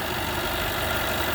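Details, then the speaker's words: 2013 Jaguar XJ 5.0 supercharged V8 at idle: busy metallic rattle over a smooth idle that is present with the supercharger belt on; supercharger coupler failing, not the timing chain or tensioner. "I just started the car and thank God it is not the timing belt uh or timing chain or the pensioner it's just a supercharger coupler"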